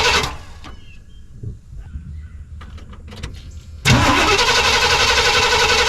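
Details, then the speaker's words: Suburban V8 with a new Evil Energy 600 CFM carburetor, warm, restarting after the carb flooded. Scattered cranking and clatter, then at about four seconds it catches and settles into a steady, lumpy idle. Owner plans to adjust it leaner. "Looks like it flooded it. So, as for that, not too bad. Fired right back up after I got it washed down with gas."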